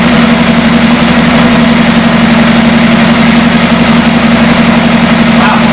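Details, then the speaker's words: 1973 Chevy Camaro V8, first run after sitting about 9 years, revived from crank-no-start: loud, even burble with steady low drone, no misfire gaps or knocking; idles smooth and healthy, though it later died. "H overall sounds really good though and it idle really well so"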